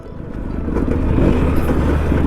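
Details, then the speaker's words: Suzuki Max100 two-stroke during a mileage test, running unevenly with a stumbling beat under a steady drone, misfiring as the tank runs out of petrol, right by a petrol pump. "Missing correct നമ്മുടെ petrol പമ്പിൻ്റെ മുന്നിൽ തന്നെ missing വന്ന്."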